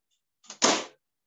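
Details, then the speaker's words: Microwave oven door closing after repair of the door latches, whose broken springs had left them loose: one short two-part clack, a light tap then a firm snap, as the latch drops in and locks solidly with normal strong pressure. "É da trava entrando e travando."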